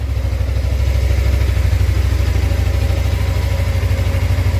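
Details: Suzuki GSX250R fuel-injected motorcycle after FI light repair, reassembled and refuelled with little fuel in the tank: quick, even idle pulse that holds steady without hunting or dying, no fuel leaks seen; clean, healthy normal idle.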